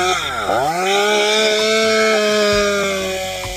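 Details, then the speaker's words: STIHL MS201TC chainsaw after complete engine rebuild for zero compression (damaged internal parts replaced): catches and climbs to a clean, steady high-pitched scream, holding revs evenly without stumbling; running normally again. ">> I'd say that sounds pretty good. back up and running."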